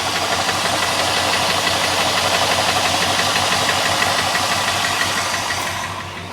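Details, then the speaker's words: 1981 Chrysler Imperial Coupe V8 idling just after start-up, with a light, steady ticking about three times a second from a hydraulic lifter; owner says compression is good and is leaving it for now. "sorry for the uh lifter tick good compression I'm not doing a darn thing about it until I need"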